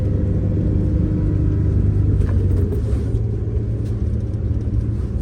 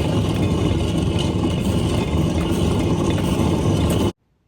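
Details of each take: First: MCI 9 coach after new wheel bearings, king pins and air bags, recorded up front while driving: deep, even road rumble with no clunks or bearing whine. Power steering is still slightly whiny from air in the system. Normal driving. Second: MCI 9 coach with bad kingpins: loud rough grinding rumble with fast uneven clatter as the wheel is spun on a badly worn wheel bearing.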